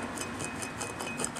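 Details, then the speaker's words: Rear wheel bearing from a 1988 Mazda 323, removed and spun by hand: gritty rasping pulses about five times a second, never smooth; a badly worn rear wheel bearing, confirmed as the culprit. "I'll tell you when you put it in here it is just unbelievable how bad it feels just terrible you can hear it I mean that should be just smooth and it is just grind II"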